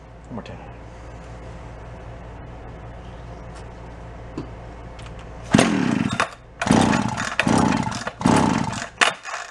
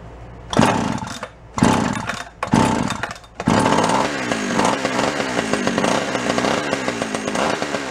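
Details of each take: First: Free Echo CS-400 chainsaw, carburetor suspected, fuel line drawing fuel: low, uneven idle breaking into ragged surging revs rising and falling about once a second; saw running lean through a leaking crank seal. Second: Free Echo CS-400 two-stroke chainsaw: catches after a few pulls on full choke and settles into a steady, slightly uneven buzzing run with throttle blips; running normally.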